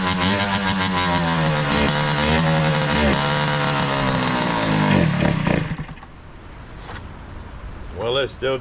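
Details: 2003 Kawasaki KX60 two-stroke on 40:1 premix, just revived, choke off; crisp crackle revs unevenly for about six seconds, then fades out and dies.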